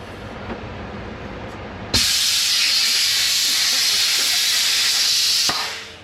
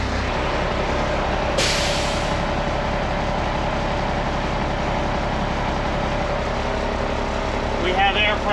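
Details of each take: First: International 4900 truck air brake parking valve leaking, noticed on last load of corn hauling; sharp steady high-pitched hiss starts abruptly, holds then tapers; owner first suspected an airline, then suspected the valve itself, needing replacement. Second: IH 4900 truck after replacing a leaking airbrake parking valve, diesel idling while building air pressure; one short air burst, then no lingering hiss anywhere; no air leaks, brake system holding air.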